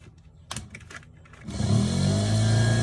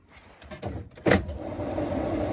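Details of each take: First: Triumph TR7 spare starter motor bench-tested with power applied: motor spins up to a steady low free-running whine with no engagement clunk; pinion not throwing out, owner suspects faulty solenoid not working its lever. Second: Triumph TR7 under restoration during an electrics check before first start: a switch click, then a steady soft whir builds evenly with no rubbing or rattle. The heater blower fan works. Normal heater blower operation.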